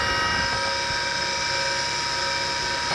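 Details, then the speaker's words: Small former military Carter rotary converter running unloaded at about 120 V, 67.5 Hz: steady high singing and whining over the motor hum from dry, worn bearings that need replacing; carbon brushes also need replacement. "and yeah the bearings are humming and singing quite quite loud so"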